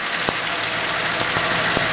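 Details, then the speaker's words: 1941 Pontiac engine, warmed up, under 500 miles since machine-shop valve guides, after freeing sticking valves (cylinders 3 and 6 were low on compression): even, smooth idle with faint light clicks and hardly any vibration; oil pressure about 40. "I mean there's hardly any vibration in the motor at all it just sets right there and idles"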